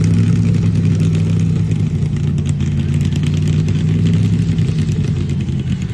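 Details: Engine revving with a ragged, uneven low beat and occasional stumbles breaking the rhythm; engine misfire.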